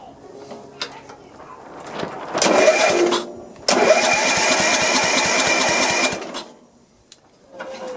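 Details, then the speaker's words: Sears LT1036 lawn tractor with a Tecumseh engine, sat outdoors for years: two bursts of starter cranking, the longer about two seconds, with no firing. The spark is very weak, which is suspected but not confirmed as the cause. Crank, no start. "No spark. Isn't that great? Well, I did see a spark. It's kind of weak, but it's there."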